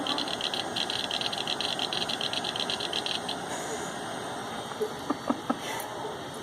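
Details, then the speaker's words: Pentium Windows 95 PC with dead CMOS battery booting: hard drive gives fast rhythmic high-pitched rasping chatter then sharp clicks at startup; sounds awful, cause not confirmed. "oh my god sounds awful"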